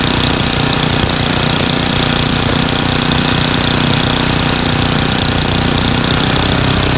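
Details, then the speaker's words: Craftsman 9 hp Tecumseh snowblower engine after repair: surging cured by adjusting governor speed-control spring tension and setting the RPM screw near 3600 rpm (tachometer attached); steady, even drone with no rising and falling, governed speed held. "so now I've gotten rid of the surgeon just by adjusting the tension on the spring here"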